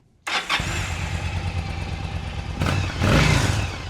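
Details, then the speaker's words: 2006 Yamaha V-Star 1100 after a full carburetor rebuild: starts at once and settles into a steady, even low thump, then a clean throttle blip; runs normally and needs little carb adjustment before the test ride. "Okay, things sounds good. We're going to go out, test ride it. It doesn't sound like we need to make too many adjustments on the carburetor at this point as long as it's running good on the test ride."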